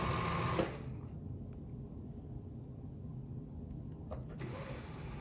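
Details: Elna 9000 sewing machine after servicing, lubrication and reseating the foot-control plug: quiet, even motor whir with light steady ticking about four times a second, no knocks or grinding; runs smoothly.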